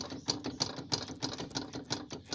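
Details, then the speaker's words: Nissan Sentra clunking over humps and rough roads: sharp clicking knocks, about three a second, as the front wheel is rocked by hand; worn tie rod end, ball joint and CV joint, to be fixed. "Yung galing yung ingay na yan sa tirod in joint tsaka full joint tsaka dito sa velocity. Tatlo na yan."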